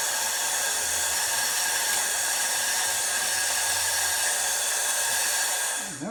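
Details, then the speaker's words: Oreck floor steamer's pump runs with a constant hissing whir and never cycles off; the handle switch can't shut it off after the handle fell over, and the switch had fallen out of its mount, lying loose when the cover went on. "this time the switch had fallen out when I put the cover on it was just laying down"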